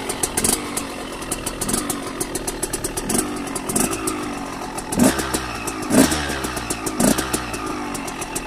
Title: KTM 125 SX first start after rebuild